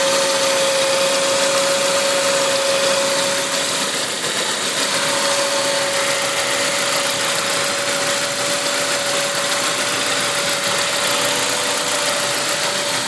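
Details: Saab 9-5 on E85, turbo about 10,000 km old, engine not fully cold (around 30 °C): steady mid-high whine over an even idle, no knocking, source undetermined; high-pitched whine at idle.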